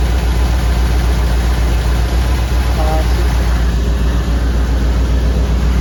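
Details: 1959 Ford wagon V8: a deep idle with an uneven, loping beat and a regular stumble. Misfire on number eight, suspected bad plug or plug wire.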